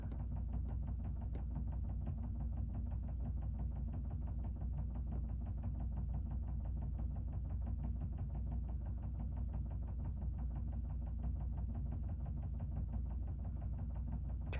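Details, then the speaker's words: Background clothes dryer heard over speech: quick steady train of light knocks, several per second, over a low drum hum; dryer knocking as it turns. "but knocking is super annoying if you can hear it I am so sorry"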